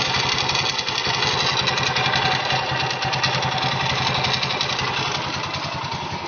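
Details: Honda GL100 (GLK 100, CDI) engine, possibly in its condition before teardown, originally noisy around the clutch, smoky and leaking oil. A fast, uneven metallic clatter of about three per second over a raised idle is a rattle worth tracing.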